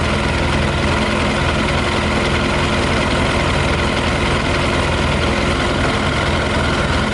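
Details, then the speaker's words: Yamaha YZF 600R idling on 40% alcohol whisky with possibly a little petrol left, temperature rising after about 10 minutes, fan kicking in: dense, busy idle that never settles into a clean, even beat. Uneven idle on alcohol fuel. "still running funny. The petrol is lighter and it should go up like over here. That's why it should burn just the whiskey now."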